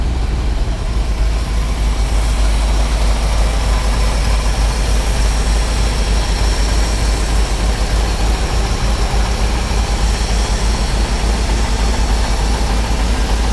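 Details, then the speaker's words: Ford F750 haul truck stock gasoline engine restarted after fuel pump below coil overheated, won't run past idle: deep, steady low rumble, even beat, no knocks or rattles; runs smoothly and quietly, normal idle. "Sounds good. It does sound good. It runs real good."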